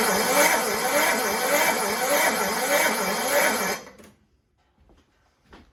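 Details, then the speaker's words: Toro Recycler 6.5 hp push mower won't run, wet plug: engine spins over about four seconds with a soft even chuff every half second and little resistance; compression tests at only 30 psi, a stuck or too-tight valve suspected. "the compression just like all of a sudden now it's not there so let's do what we probably should have done in the first place yep it's a wet plug check the compression out"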